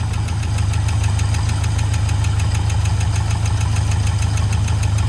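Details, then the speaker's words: 1971 International 1210 pickup sat 30 years, started with fresh fuel and no coolant: sharp fast even clacking over a rough rumbling idle that never lets up; engine knock of unknown cause, engine shut off. "no gauges no transmission the engine sounds really weird but i'm gonna i'm gonna shut it off"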